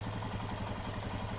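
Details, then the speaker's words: Light, rapid ticking of about eight taps a second over the idle thump of a Royal Enfield Himalayan 411 head, caused by wear from improper valve adjustment, uneven tappet wear and a grooved inlet valve; valve train tappet noise. "Valve ശരിയായി ക്രമീകരിക്കാത്തതിൽ നിന്നുള്ള തേയ്മാനം മൂലമാണ് നമ്മൾ ഇപ്പോൾ കേട്ട ശബ്ദം ."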